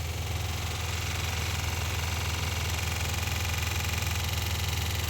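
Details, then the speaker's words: 1990 Dodge Grand Caravan LE after alternator work and coolant refill, holding temperature: steady idle with dull knock about three times a second from the radiator fan, sounding like rod knock; getting quieter, may clear or need a new fan. "that fan sounds like rod knock and I hate it"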